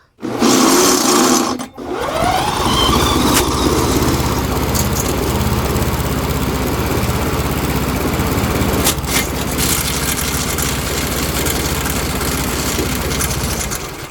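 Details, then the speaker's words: Briggs & Stratton Quattro 4 hp engine on an MTD Lawnflite push mower, previously overheated from a critter nest; feels like no compression by hand but spun with a drill it catches and runs rattly and uneven; suspected blown or stuck rings, unconfirmed. "Oh, ouch. Yeah, it feels like there's no compression. Sounds like there is. Okay, so let's try it with the drill."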